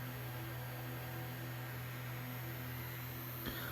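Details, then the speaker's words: Crosley SCR-284A radio's PE-104 vibrator power supply, failed selenium filament rectifier replaced by a silicon bridge, running without filament load: a steady, even low hum with a buzzy edge; normal vibrator hum. "so yep push fix for this little power supply with no filament so it's humming away as you can hear the vibrator is coming away and there's my bush fix"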